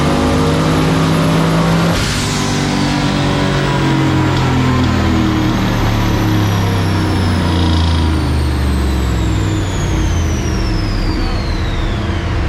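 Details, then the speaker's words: Turbo 4.8L LS engine (SBE) in a 1965 Pontiac Tempest on a chassis dyno with added wastegate spring, after a change from 20 to 14 that stopped spark blowout and cutting out. A smooth, clean full-throttle pull making 714 hp. "yeah that sounded much cleaner yeah 7 14. all right 7 14 but it cleaned up"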